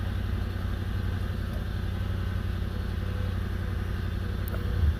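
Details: Stock 2005 Toyota 4Runner with the 4.7 V8: deep engine rumble with an uneven, raspy puffing about twice a second, louder than a sealed exhaust; a nasty exhaust leak.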